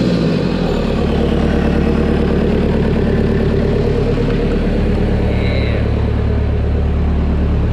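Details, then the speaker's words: Toyota 1KZ diesel, after injection pump rotated toward engine to increase fuel and fix white smoke and missing: steady, even idle clatter then a clean rev-up, no misses or white smoke; sounds sturdy, as it should. "and she starts right up so it starts right up no white smoke she runs it sounds really good sounds really sturdy"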